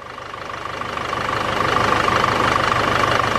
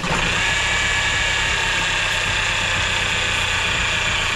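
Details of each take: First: Cheap Range Rover Evoque diesel, after replacing noisy auxiliary belt tensioner (timing chain feared): even idle with steady beat and faint constant whistle, no rattle; noise gone, normal idle. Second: Range Rover Evoque idling with the engine cover off: steady idle with a rough, chattering rattle and thin whirring tone up top; possibly worn accessory belt tensioner and pulley, though owner also suspects timing chain or water pump.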